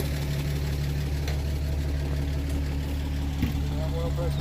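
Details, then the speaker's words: 1937 Pontiac Silver Streak barn find, long sitting, just revived after the ignition points were filed: steady, even idle with a smooth low hum and no knocks or misses. Oil pressure good. Normal idle. "I got the throttle got yeah ready yeah sign up them points and she's purring like a Swiss watch that's sweet"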